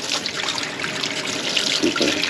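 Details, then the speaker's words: House faucet on a well after stabilizing and pressurizing the pressure tank, pressure just over 50 psi: even steady hiss of water, no surging, pump no longer cycling on and off; fixed. "clean flow of water [Music] we're going to call that fixed"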